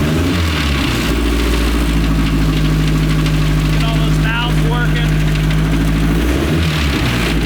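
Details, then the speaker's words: Restored 1932 Ford Model A dirt track speedster four-cylinder, run daily; deep lumpy steady idle with a brief blip, running strong: normal running vintage four-cylinder engine. "Oh, God, man, that's as cool as it gets. 1932 Ford Model A dirt track speedster."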